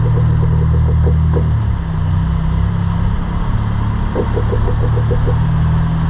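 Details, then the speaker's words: Honda Civic EP2 with aftermarket coilovers fitted about three years ago: quick, light pinging clicks, about six a second, over the idling engine while steering, from a strut top mount bearing. "a un certo punto però quando cominciavo a sterzare sentivo dei rumorini tipo picoclo clock liriche di ping ping ping"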